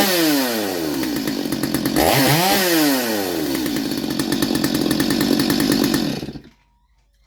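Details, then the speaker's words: Stihl MS230 chainsaw revived, carb had no fuel so air was sucked out to run: revs up crisp, drops and climbs cleanly, then steady even buzz before cutting off; healthy motor. "so it sounds good too nice healthy healthy motor"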